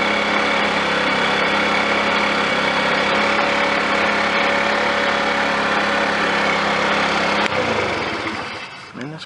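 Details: Scooter being readied for the road, after a plug wire that was getting hot was switched: steady, buzzy small-engine drone at an even pace for several seconds, then winds down; it starts and runs without stalling.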